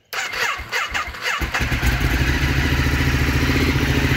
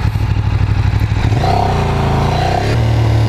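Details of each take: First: Ducati Streetfighter 848 twin, first start before first ride since purchase: starter whirs briefly, engine catches cleanly and settles into a lumpy but steady idle with no odd knocks; sounds healthy. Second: Ducati Streetfighter track bike on its first ride, pulling through the midrange: a rattly, uneven chatter over the exhaust around 3,500 rpm, which the rider suspects is a low point in the fueling and not a fault.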